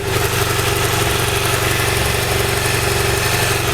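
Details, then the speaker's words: 2012 BMW F650GS single at idle, microphone held down at the engine: steady, even idle with a soft regular pulse and no injector ticking; the owner credits adding two-stroke oil to the fuel for a year. "so it it sounds like I would expect an engine the sound instead of that tick tick tick tick tick tick sound they're known for"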